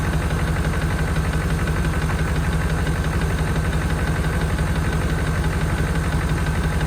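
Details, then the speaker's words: 1992 Chevrolet Caprice wagon V8 parts car, sat in a field, thought seized, running after storage. Steady light tapping about three per second at idle; owner places it at front of engine, number eight rocker a bit noisy, number two fine; unconfirmed. "definitely in the front of the engine H the number two rocker arms side sounds pretty good number eight sounds a little kny too"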